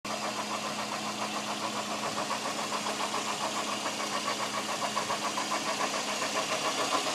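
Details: Toyota Echo 1.3 VVT-i engine running steadily with a regular light knock, about three or four beats a second; cause unknown.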